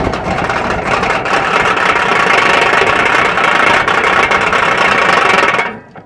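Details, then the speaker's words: Wrecked Peterbilt 359 diesel idling after first start with priming and start fluid, with oil pressure: loose uneven ticking rattle until shutdown; attributed to fan clutch rattle, unconfirmed. "It's ticking. That noise is the fan clutch rattling."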